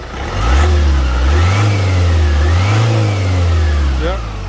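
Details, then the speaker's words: 2016 Ford Transit Custom 2.0 diesel after injector replacement, restarted: deep note rises and falls smoothly through blips with no knocks, misses or ticking. Engine sounds fine, no noise, no leakage. "So we're gonna have a test drive, but sounds like everything's fine, no noise, no leakage."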